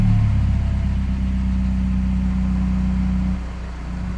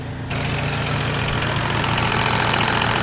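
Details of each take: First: Peugeot 308 GTI, first cold start after replacing the Valvetronic variable valve lift motor: loud droning cold idle that stumbles briefly, then recovers to a steady, smooth idle; cause of the hiccup unknown. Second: Peugeot 308 GTi after repair of its Valvetronic variable valve lift fault: a brief loud hiccup at startup, then a steady, even, smooth idle with a low constant hum and no misfire or knocking.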